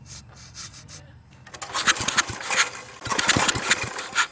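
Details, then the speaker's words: Briggs & Stratton industrial small engine with replacement carburetor, hand-cranked: scraping pulls then a few uneven pops that never settle; fires but won't keep running, runs only a second on starter fluid. "i hear it firing so so so i've tried everything spraying starter fluid in there it of course it runs for a second but then cuts off"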